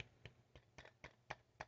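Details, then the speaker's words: Vintage JBL L-40 loudspeaker, 10-inch JBL 127A woofer being re-foamed, glue still tacky: light taps on the cone give a faint buzzy rattle as the voice coil rubs from an off-centre surround; fix is pressing opposite the rattle and reseating. "so you hear the rattle so you want to go opposite of the rattle and press down again reseed it while it's tacky"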